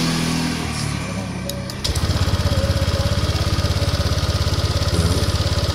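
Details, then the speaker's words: Honda Vario 150/125 scooter that would not respond to the starter, tested with the starter wiring jumpered at the side-stand switch: brief crank, clean catch, steady even idle; the fault was the side-stand switch circuit, not the button or relay. "Kita hidupkan kunci kontak. Oke, motor hidup. Kita tes sekali lagi."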